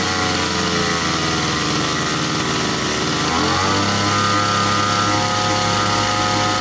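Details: Grass trimmer two-stroke engine, serviced for dying when started warm, test-run over 5 minutes: buzzes smoothly, picks up revs cleanly at three seconds and holds a steady, even high speed; normal running.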